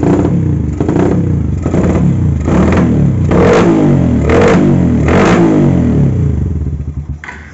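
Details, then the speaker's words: Carburetted motorcycle with vacuum fuel tap at idle: surging, stumbling rough beat, carburettor sucking air; runs fine when throttled; rich mixture, wasting fuel, fouling plugs, fuel smoke from exhaust, persists after carburettor cleaning, ignition and electrics fine. "Nah jadi kendalanya seperti itu bisa kita dengar dari suara karburatornya nyedot udara kayak gitu ya ini boros banget ya teman-teman"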